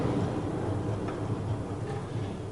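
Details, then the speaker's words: Hustler Super Z zero-turn mower, low steady rumble with rough ticking vibrating the whole tractor from rusted, worn caster spindle bearings, recorded before the bearings were removed and replaced. "vibrating the whole tractor so that gives you an idea how bad these were and that was before i started beating on these bearings"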